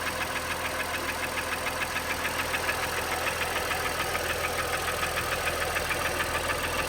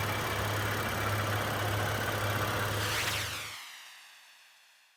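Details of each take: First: Honda Pilot petrol V6 idling with a steady, rapid metallic knock; oil analysis showed high aluminum and iron, borescope found heavy cylinder wall scoring and gouging in multiple cylinders, requiring short block replacement. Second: Honda Pilot after short block replacement for cylinder wall scoring that caused a knock: smooth, even idle with a steady low pulse and no knock or tick, then a clean shutdown; the replacement engine runs healthy.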